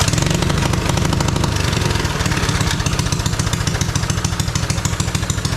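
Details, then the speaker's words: Free mini bike just restored, throttle cable and chain still missing: small single-cylinder engine loping unevenly with irregular firing and occasional pops; running rich even after a smaller carburetor jet, possibly needing an even smaller one. "it does still run rich but see if it'll even start"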